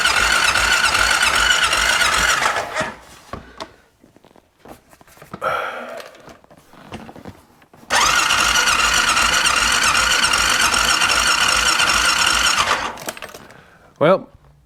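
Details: 2001 Honda Rincon that sat 2½ years, battery reading 12.82 V, choke pulled: two long stretches of steady starter whirring with no firing; cranks but won't start, fuel supply not yet checked.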